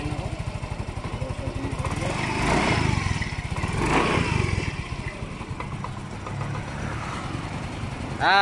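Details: Yamaha Mio i125 scooter that would not start, now running after spark plug reseated: small single-cylinder putters with quick regular pulses, swelling briefly with throttle then settling; runs properly, though throttle cable sticks and needs replacing.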